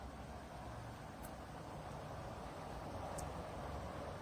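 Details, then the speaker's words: Dreo Pilot Max 42-inch tower fan at top speed: a smooth, steady rush of air with the motor audible but no whirring or bearing noise, unlike the owner's Pilot Pro. The fan motor is running normally. "this speed you could hear it blowing air, and you could hear the motors, the motor I should say, spinning, but at least to my hearing I don't hear that slight whirring or bearing noise that I did in the Pro."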